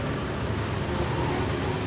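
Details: Yamaha NMAX scooter: a steady, rough, gravelly rumble from the final drive (gardan) under the running noise. Worn final drive bearing; the unit also has a whine.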